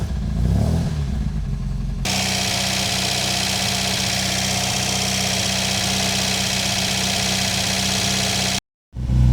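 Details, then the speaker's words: Supercharged MGB engine first start after rebuild with new supercharger camshaft, still very cold, held near 2,000 rpm for a 20-minute running-in: steady, even fast idle, smooth hum, no knocks or ticks; good oil pressure, stays cool. "So, the running in procedure is 20 minutes at 2,000 RPM. Bit of varying along the way, but that's what we got to get to."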